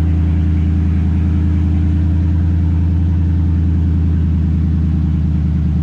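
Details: 2003 Ford F-150 with Coyote V8 swap, first run after fixing reversed bulkhead pins: deep, steady idle with an even unbroken rumble, no misses, knocks or hunting; normal idle.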